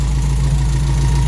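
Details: Toyota Corolla KE55 4K-C warmed up after first start, thermostat opening and cap holding with no leaks, missing vacuum lines refitted. Deep, even idle with a steady low drone and no misses or knocks; running properly.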